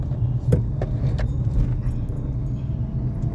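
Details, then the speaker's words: Renault Kiger in the cabin on a rough road: irregular light taps and clicks over a steady low road rumble. The noise starts at start-up and grows with revs; the whole dashboard is rattling. "नहीं यह पूरा का पूरा dashboard का आवाज है जो भी आपको कट कट कट कट आ रहा है"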